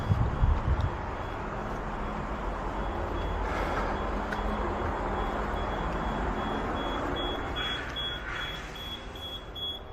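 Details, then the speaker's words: Fire alarm panel sounding a thin high-pitched repeating supervisory beep over low rumble after two sprinkler valves are turned during valve exercising; beep is expected and acknowledged. "we're going to the alarm panel and we just want to hear beeping and we look and make sure that there's two valves that were turned"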